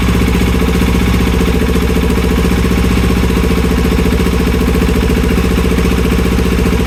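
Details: 2020 KTM 690 single: heavy, steady low chugging with no clean catch or rev-up; the engine is struggling to start.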